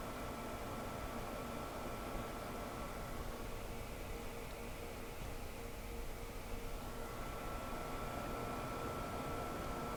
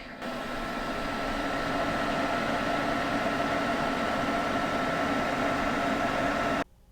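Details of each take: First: Home server after upgrading to Noctua Redux NF-R8 and NF-P12 fans: soft, even airflow hiss with a faint steady tone and no rattle or buzz; much quieter, old fans were the noise culprits. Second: Two generic 120 mm case fans on top of a home server, about a year and a half old: loud, steady airy roar with a faint whistle, then dropping to near silence; cheap, worn fans, to be replaced with Noctua Redux fans.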